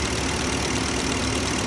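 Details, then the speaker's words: 2005 Porsche Cayenne S 4.5L V8 after purge valve and both air filters replaced: steady even idle with constant airy suction hiss; unsure if normal, otherwise runs and cruises well at 80 mph. Suction hiss at idle. "if that's normal with the suction or maybe something else going on but otherwise it sounds like it's fine runs really well cruises nicely at 80 M an hour it's very stable"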